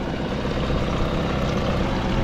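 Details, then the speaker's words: Two-stroke outboard running with cowling on, air mixture screw about 1.5 to 1 2/3 turns out, idle screw set slightly high; forward, neutral and reverse working: even, steady burble with no misses or knocks; normal idle. "So, currently I have that idle screw I think maybe slightly high, but I think it's okay."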